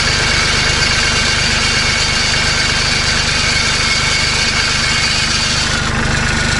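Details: Kubota B2650 diesel compact tractor idling with the loose muffler guard buzzing and chattering against the muffler; heard without the clamp fix fitted.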